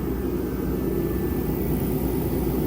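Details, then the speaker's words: Diesel-fired tri-fuel shop heater, first test run: steady, even roar of fan and burner with no surging, sputtering or rattles, producing strong heat; normal running. "okay the thing works proof of concept complete"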